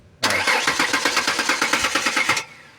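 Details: Ford Explorer left sitting almost 5 years, cranked with the key. Steady fast starter churn that never catches; no fuel and no power supply were found, with a blown fuse as the cause.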